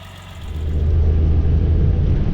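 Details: 1988 Suzuki Jimny 550cc three-cylinder turbo: low, even burble that swells slightly and settles into a steady idle, no knocks or ticks; sounds healthy.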